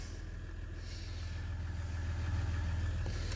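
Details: 2016 Ram 1500 EcoDiesel idling while the coolant temperature is watched, after a connector repair for a no-crank/no-start; coolant leak still present. Even, regular low diesel clatter with no knocks or misses; normal idle.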